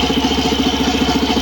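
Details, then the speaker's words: Suzuki Burgman Street EX 125 scooter idling with stock CVT drive belt fitted: fast, even scraping pulses with a thin high edge from the CVT; a scraping once blamed on the torque drive bearing turned out to be the worn belt. "Narinig niyo yung kakaibang tunog na kumakaskas. Yan ang inakala ko dati na nasa torque drive bearing ring ang problema. Yun pala ay nasa belt lang."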